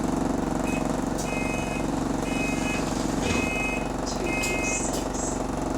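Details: GAL SE101 bus on a diesel idle: high, short beeps repeating at uneven gaps roughly once a second, the door warning buzzer sounding.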